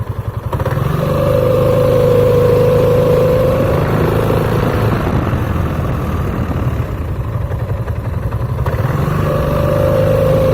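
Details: Beverly 500 scooter variator: droning hum at pull-away and low speed, fading once moving, caused by glazed (hardened) clutch shoes plus out-of-round clutch bell; fix is sanding the shoes and having the bell trued on a lathe.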